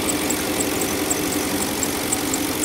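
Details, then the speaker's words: Porsche Cayenne Turbo V8, 149,270 km: even idle under a faint, regular high chirp about three to four times a second. The belt visibly jumps on a roller; a worn, eccentric idler pulley is suspected. "Talán némi nemű görgő hangot is látunk."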